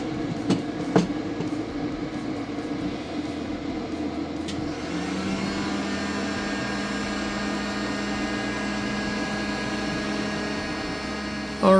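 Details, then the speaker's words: BougeRV 2000 W pure sine wave inverter pushed past 1300 W with a heat gun added and its cooling fan on; steady, even high-pitched whine with faint fan hum, normal under heavy load. "right I'm going to drop the audio a little bit so we don't have to listen to that whine the entire time"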